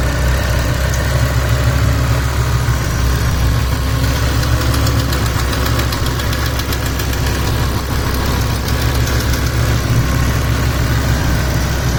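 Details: 2007 BMW M6 manual, S85 V10, warm idle: fast, uneven light ticking about three per second over the engine drone, began after sitting months on old expired oil, persists after oil change, barely audible cold; cause unknown.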